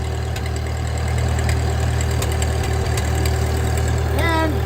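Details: 1939 Ford 9N tractor restarted after getting it running, with oil pressure present and the ammeter showing charge. A low, steady idle with an even beat and a brief rising hydraulic pump whine as the hitch lifts; normal, healthy idle.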